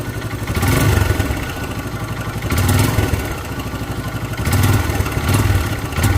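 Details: Hero Karizma R motorcycle engine revving up and down in surges with rapid mechanical clatter over the exhaust; abnormal engine noise, cause unclear.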